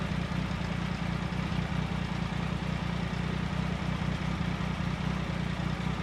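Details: 1999 Triumph Sprint ST 955 during check-up and engine troubleshooting: regular low thumping about two and a half pulses a second, steady with no stumbles; idling normally.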